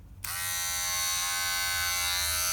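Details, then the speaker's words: Wahl Detailer Cordless trimmer running with a harsh, high, piercing buzz caused by its worn blade plate; fixed by replacing the blade plate and greasing it. "agora essa é a peça que provoca o ruído intenso que o povo que gosta de fórmula 1 deve gostar"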